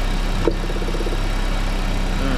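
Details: After replacing ignition coil, plug cables and spark plugs to cure a misfire: smooth, even idle with a steady low hum, no stumbles or skipped beats; ignition firing cleanly, normal idle.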